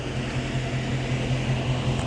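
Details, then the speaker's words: Car with a 6.4 Hemi being checked for overheating: a steady rushing fan roar over a low engine hum, pulsing evenly about five times a second, as the cooling fan runs hard. "All right, this is my dude with the 6.4. We're about to check his car out for overheating. Yeah, I hear the fan running right now, but"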